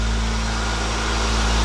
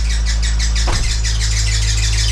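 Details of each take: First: 1996 Acura Integra GS-R with a rebuilt, turbocharged engine on its first run, warming up while the coolant bleeds. A brief loose- or tight-belt noise goes away, then a steady, smooth low idle hum with no squeal or chirp. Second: 1996 Acura Integra GS-R, turbocharged with a rebuilt engine, first cold start: steady hum with a fast high chirping squeal that stops after a few seconds; a loose or over-tight belt is suspected.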